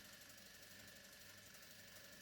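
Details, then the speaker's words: Arriflex ACL camera body running on an electric motor that is practically silent: fine steady mechanical whirring chatter from the worn camera body, magazine and axle coupler; better servicing could lower it about 5 dB. "it's not the motor's fault because the motor doesn't generate the noise the camera does and I can't do anything about it."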